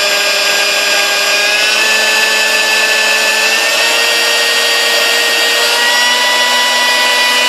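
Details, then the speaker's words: Sunbeam Mixmaster 1-7A, 235 W, after cleaning, lubrication, greasing and a rebuilt speed resistor: smooth, steady motor whine with slight pitch steps as speed changes and no rattle or grinding. All speeds run fine; normal running. "all right baby pellets you know runs through all the gears fine and all that so all the speeds I shouldn't say it's not gears well because all speeds just fine"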